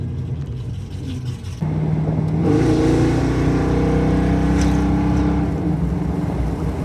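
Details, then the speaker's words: 1972 Mustang 351 Cleveland with Edelbrock 4-barrel intake, headers and custom 2.5-inch exhaust with Black Widow mufflers, driving, not floored: deep V8 burble climbs into an even rev, running on all eight cylinders; idle set too high. "It's running on all 8 cylinders. That was not floored. Yeah, that runs on all 8. That's not running bad."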